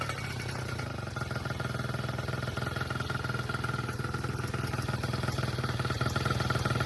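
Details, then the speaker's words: Honda Dio AF34 two-stroke scooter, first start after Athena big bore kit install, engine not yet tightened down: steady fast idle putter with light rattle, holding speed without stumbling. "All right, we got her up and idling. We haven't even tightened the engine down yet, but"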